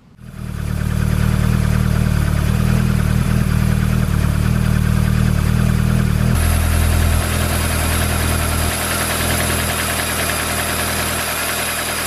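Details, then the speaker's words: Mazda Miata fitted with Toyota 4A-GE 20-valve individual throttle bodies, already synchronized and tuned: the engine catches and settles into an even, steady idle with no misses or hunting; the throttle bodies are well balanced, normal idle. "so there we go engine is idling and this is what it looks like at the moment"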